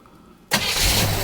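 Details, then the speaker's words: 1976 Chevrolet Nova Concours, stored in a garage about 35 years, started from the driver's seat: brief quiet, then it catches at once and settles into a steady, even idle; a clean start. "So I want Wendell to go sit in the driver's seat and hit the key and start this thing up."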